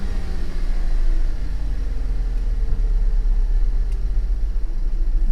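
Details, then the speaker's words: Auction car given a light throttle blip to about 2,000 rpm; as revs drop, a low uneven rumble with a lumpy beat and the whole car shakes. The check engine light flashed earlier and a traction light was on. Misfire. "No, it's misfiring. As soon as I let off the throttle, the whole car is shaking."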